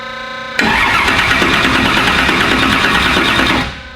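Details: V8 "Black Sheep" after repair, fresh oil (half used, half new) and new battery: cranks and catches instantly into a loud, even, healthy snappy roar for three seconds; normal start and running.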